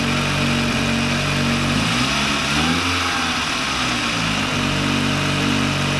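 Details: VW Lupo 1.8T turbo after engine-failure rebuild (H-beam rods, new bearings, 2 mm head gasket): steady even idle with one smooth throttle blip dropping cleanly back; runs very well.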